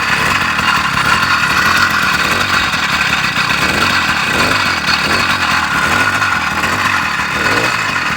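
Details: Motorized bicycle two-stroke engine, idling after the idle screw was turned down from a stuck high idle: buzzy, rattly and steady with no stumbling, slightly rough from being cold. It is a normal idle.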